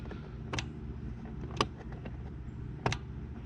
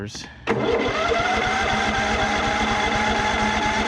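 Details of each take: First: Cub Cadet riding mower with a swapped-in engine, battery and fuel connected before the first start: three crisp clicks about a second apart; the fuel solenoid is clicking as it should. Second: Cub Cadet riding mower, swapped-in engine, first start attempt after confirming the fuel solenoid clicks: steady starter whir with even cranking for about six seconds but no firing; some fuel is getting through, owner suspects he flooded it.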